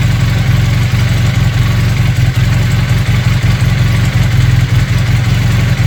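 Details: Honda CB400T Dream twin after service: lumpy, uneven low beat that stumbles now and then; carburettors badly unsynchronized, right carb way off.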